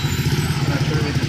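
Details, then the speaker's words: Hero Super Splendor after replacing the clutch housing: small single running in gear with an even, quick, smooth thump, no rattle or clatter from the clutch side; normal running after repair. "Sound पूरा smooth पूरा original जैसा जनन हो चुका है"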